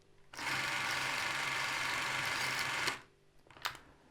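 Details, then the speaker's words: Krasnogorsk-3 spring-wound film camera running at 24 frames per second: even whir for about two and a half seconds, then stops as the under-wound spring runs out; normal running sound. "przy 24 klatkach na sekundę to jest hałas, który powinien być, jeśli jest taki hałas, jeśli słyszysz coś takiego, to tak, jakby próbuje rozerwać folię lub coś innego."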